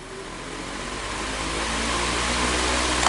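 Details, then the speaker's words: Electric fan after service: it had only hummed without spinning because of dirt, and was cleaned and sanded. The motor now spins up smoothly with a steady low hum and airflow rush, no grinding or stalling. "demikian tadi cara service kipas yang hanya bunyi dengung ternyata hanya kotor dibersihkan diamplas khasnya dan kipas pun sudah lancar"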